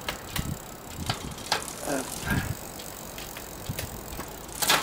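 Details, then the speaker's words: Shimano RSX bicycle gear shifter repaired without disassembly: crisp single clicks with quiet gaps as gears change, each snapping in cleanly; shifter now works normally after previously not engaging. "Bon, alors voilà, comme vous pouvez le constater, les vitesses maintenant passent correctement."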